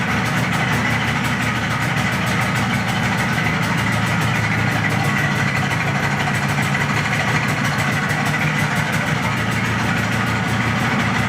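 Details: MZ ES 250/2 two-stroke motorcycle at steady idle with a hard, even tapping on every turn, tractor-like clatter; teardown confirmed connecting rod bearing damage, bearing replaced.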